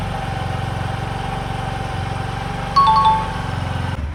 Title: Lipter Assy Engine Noise Problem #automobile #trending #tips #shorts #viralvideo